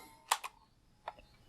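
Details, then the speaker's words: GE battery cassette player, pressing play: a few sharp plastic ticks, no tape hiss, tape not turning; owner suspects slipped or worn belts needing replacement, not confirmed. "so what happens obviously I have batteries in it right now hit play it makes noises you can hear it"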